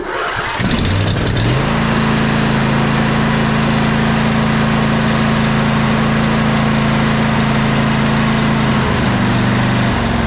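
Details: Twin-cylinder riding mower engine after valve adjustment and compression release check, fired at full throttle: quick crank then smooth, even high-speed drone on both cylinders, running healthy; some smoke from cylinder not run in a while.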